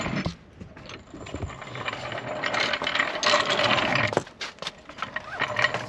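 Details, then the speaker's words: Truck's front wheel raised and spun by hand: uneven ratcheting grind in bursts from a broken hub. The vacuum-operated 4WD hub actuator was first suspected of not engaging, and its teeth are worn and slipping; vacuum lines, actuator and hubs were tested with a vacuum pump. "here's your problem broken Hub so first thing we were worried about is like this Hub actuator isn't engaging"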